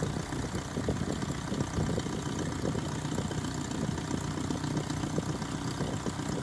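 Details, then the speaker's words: 1978 Datsun 1500 Ute GN620, 20 years stored, new carburettor, idling cold to warm up before first drive: steady slightly lumpy idle at even pace, no clear knock; warm-up idle. "so what we're going to do is we're going to start the engine up we'll get it nice and warm and then i'll just start it up on gear and we'll just drive it as it is"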